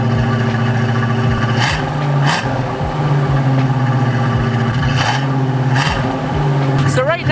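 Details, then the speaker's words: Car with freshly rebuilt carburettor on cold fast idle in freezing weather, before warm-up and mixture adjustment: steady low drone with a few clicks around it, running smoothly with no misfire or stumble. "i have the cold idol set right now it seems to be running fairly smoothly as you can hear it's a beautiful sound"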